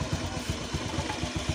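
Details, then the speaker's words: Fuel-injected scooter, freshly started, before an idle-screw adjustment: loose, uneven putter at about eight beats a second with thumps varying in strength; idle not settling. "Oke ini untuk mesinnya belum stabil suaranya ini sudah nyala belum"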